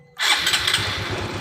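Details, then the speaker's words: Honda Supra X 125 Helm-in 2018, which stalls suddenly on long rides and is hard to start when hot, started cold: starter catches and the single fires straight away into an even putter; normal cold start. "dengan kondisi seperti ini motor ini dalam keadaan normal di saat posisi dingin"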